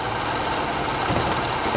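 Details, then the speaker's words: Car still idling after being jump-started from a portable jump pack that was then disconnected, showing the alternator is charging the battery: steady idle with no stumbling, dying or knocks; running fine. "You see it's still running. That means the alternator's charging the battery."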